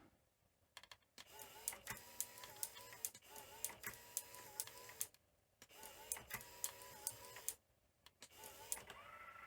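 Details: Toshiba V9600 Betamax VCR from 1982, long in storage, being restored: whirring mechanical bursts with tonal sweeps and clicks while rewinding, which sounds normal; the idler later seems possibly stuck.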